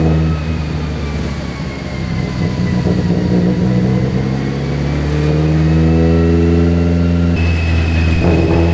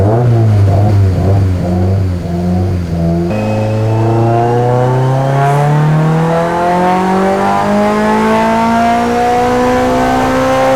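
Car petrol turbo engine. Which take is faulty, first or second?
first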